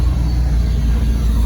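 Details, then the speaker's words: 1979 Bayliner inboard engine, just rebuilt, running: deep, even rumble without knocks or misses; oil pressure good, charging, very little blow-by; RPM gauge not working, fuel pump suspected weak. "But Pretty good. it's running. Sounds good. It does."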